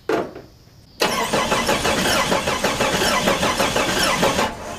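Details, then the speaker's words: 1990 Jeep Cherokee XJ, after five years sitting, cranks steadily at about three beats a second but never fires; no spark at the plugs though fuel can be smelled; crankshaft position sensor suspected, not confirmed. "not seeing a spark try different plug smelling gas no spark"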